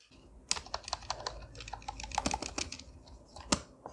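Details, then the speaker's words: Amkette EvoFox FireBlade membrane keyboard after lubing key stems and stabilizers: soft, muted presses at an uneven typing pace, no rattle or squeak from longer keys such as the spacebar; much quieter typing. "after a little more lube on stabilizers, check it out. A lot more silent."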